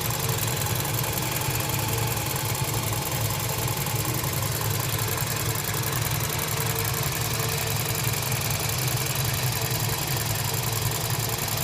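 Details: Toyota Voxy, 1AZ-FE engine, 300,000 km, steady idle with a fast, even metallic tapping over a dull rumble and slight white smoke: abnormal engine knocking, cause unknown.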